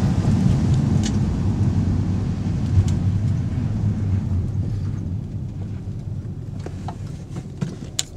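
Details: G35 coupe with a newly installed Kinetix HFC and a stock catback exhaust: a deep exhaust rumble fading as the revs drop, with scattered tinny rattles and ticks on top. Exhaust rattle, source unconfirmed.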